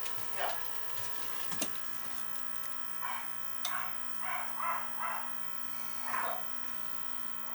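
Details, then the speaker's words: Beckett oil burner on a two-pipe system: quiet steady electrical hum with no run-up or firing; motor not spinning, burning smell, seized oil pump. "see that was just humming the motor's not stopping we got a bad motor or something i could smell something cooked things are not spinning over yeah we got a bad pump there"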